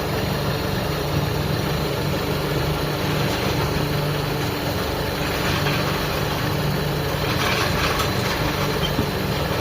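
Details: Out-of-tune, hard-starting carbureted car engine, not overhauled, idling with a slightly uneven, loping beat that settles as the mixture screw is turned; rough idle from an out-of-tune carburettor.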